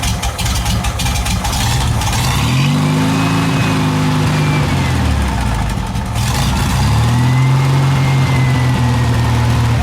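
Engine picks up cleanly through two rev sweeps and settles back smoothly with a soft cam thump underneath; healthy running.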